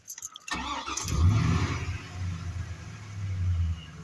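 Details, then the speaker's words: 2002 Chevy Silverado after power steering pump replacement and bleeding the system. The engine settles to a smooth low idle with no pump whine or groan: smooth and quiet, no air left. "See how smooth and quiet it is?"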